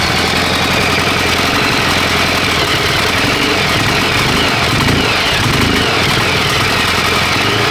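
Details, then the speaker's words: Honda XR600R single, one owner, 7,400 km, just rebuilt (had low compression), first run on assembly lube: fast even beat at steady idle, no knock or rattle; oil now reaching head, sounding much smoother and healthy. "So now this thing is pumping oil correctly, it's starting to sound much better and much smoother. I'm happy with that."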